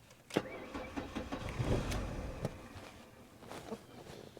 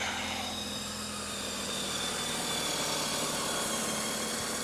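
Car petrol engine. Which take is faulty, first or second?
first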